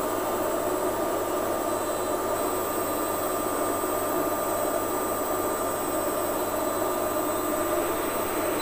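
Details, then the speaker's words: Lux Royal WH 1093i washing machine spinning after the inner drum, cracked spider and shaft were replaced; the bearings were kept. A steady, even whir and hum with no scraping against the door gasket; the machine is back to normal. "dari pengujian kami menunjukkan bahwa kondisi mesin suaranya sudah normal gesekan-gesekan pada basket sudah tidak ada kondisi mesin sudah normal kembali"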